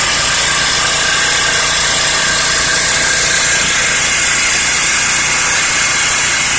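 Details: Small four-stroke generator engine running normally with a steady, even hum and no surging or misses; a 24 microfarad capacitor is fitted as the replacement.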